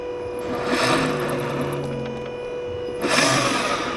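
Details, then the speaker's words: Renault Zoe (2019–2024) on a lift with wheels spinning up: steady mid-pitched whine with a rough hum from the air-cooled electric drive motor, due to worn bearings; motor removed for bearing replacement. "Ещё не, ну, здесь однозначно шум отсюда. С мотора ещё разгоняй."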